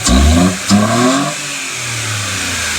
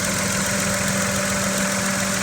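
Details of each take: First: 2017 Mitsubishi Mirage three-cylinder with 3D-printed MAF adapter intake and heat-wrapped manifold: quick throttle blips with loud throaty intake roar, then even idle; healthy normal revving, likened to a PT Cruiser. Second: 2017 Mitsubishi Mirage three-cylinder, stock except K&N panel filter, at idle: light buzzy rattle on a steady idle as the loose intake tube jiggles against the engine; intake tube rattle.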